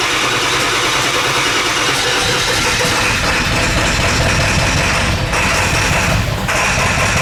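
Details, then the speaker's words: Ford F250 7.3 Powerstroke diesel, straight pipes, first test drive after high-pressure oil system work: rough, uneven drone under way, stumbling beat as if cylinders aren't firing; bleeding air didn't help. "so I'm out on my first test-drive of it you get here it kind of has like a little bit so it sounds like one of them is kind of missing"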